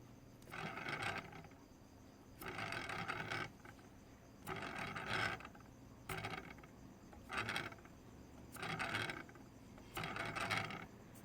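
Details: DJI Inspire 2 after a flight: short bursts of dry, rattling grinding each time the rear right motor and propeller are spun by hand.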